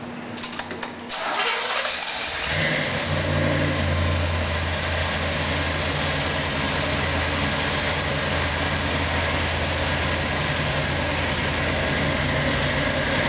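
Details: 1963 Corvette split window, first start: starter whirs briefly, V8 catches and settles into a steady burbling idle with no knocks or misses; normal idle.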